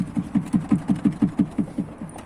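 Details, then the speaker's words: Lada Priora, rear right knock over small bumps: hollow clunks about five a second as the fuel filler pipe behind the fuel door is shaken by hand; the filler pipe knocks against the body, fixable with a rubber spacer. "есть вот слышите да не знаю как на видео слышно ни от стук идет о салон этот стук его вообще прекрасно слышно"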